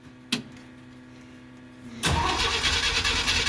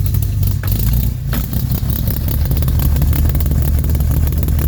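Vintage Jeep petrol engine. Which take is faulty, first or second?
first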